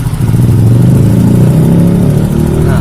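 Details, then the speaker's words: Yamaha Mio J scooter engine revs up with a coarse, rattling roughness on the exhaust note that grows louder. The mechanic suspects a worn cylinder block or piston rings, possibly from late oil changes, with thin exhaust smoke and oil consumption. "tapi suaranya makin tingkat semakin kuat ya ini curiga saya ke blog ataupun ke piston Ring yang sudah Lombok"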